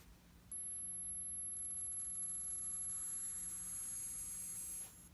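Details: Apple Watch giving a faint, thin high-pitched buzz or whine for about four seconds, then stopping; abnormal buzzing noise that Apple has already tried twice to repair without success.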